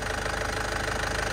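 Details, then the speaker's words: Isuzu Panther Grand Touring, late 2007, manual turbo diesel, hood open; even diesel clatter with steady regular pulse after revving, no misses, no blow-by; normal idle, engine judged healthy. "Wis kita gasgas, Bro. Mesinnya aman, Bro. Ya, tidak ngobus."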